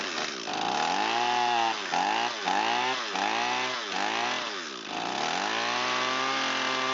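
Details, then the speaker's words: Echo SRM225 trimmer that had sat long with fuel in it, start test on full choke and full throttle: a high buzz revs up and sags repeatedly, sounding thin and screamy. It is running lean; the mixture screw cap had been removed, so the screw is being reset. "So it's a little lean, a little peek underneath the carburetor here where the mixture screw is located. Someone has removed the cap, so someone's been chasing the running issue."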